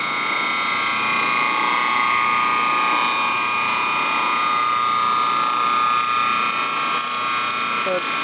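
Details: Antique ring-oiled Wagner 2hp electric motor running, bearing housing barely above ambient temperature: a steady hum with a high whine and a fast irregular ticking rattle, roughly three per second. Suspected worn bearing; the motor is a candidate for a bearing job.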